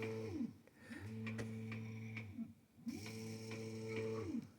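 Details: Syringe pump stepper motor at 400 feed rate sings a steady buzzing tone, ramping pitch up and down smoothly over two clean plunge strokes; normal run without stalling.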